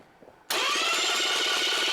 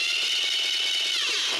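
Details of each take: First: Starter after shims were removed and it was moved closer to the flywheel: steady, fast, even whirring crank with no grinding or clash. The pinion now meshes cleanly and it sounds a lot better. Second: Starter on a demonstration rig with elongated mounting holes, pinion set too far from the flywheel ring gear: high-pitched whirring grind while cranking, then winds down. Fix is removing shims to bring it closer to the flywheel.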